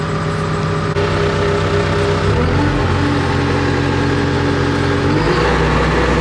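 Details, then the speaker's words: Cat D3K2 dozer, diesel, warm after 15–20 minutes pushing in a pile following a repair for rough running, power loss and bogging: deep rumble climbs and settles cleanly through speed changes, no knocking or stumbling, no codes, soot load down to about 10%; running normally. "just ran it in the pile there for playing around for 15-20 minutes. No issues, and no codes."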